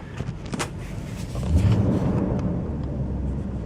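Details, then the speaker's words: 2012 Nissan Armada at idle: deep steady rumble, even, no knocks or ticks; sounds stout and healthy. "you can hear that man pretty pretty stout pretty beefy"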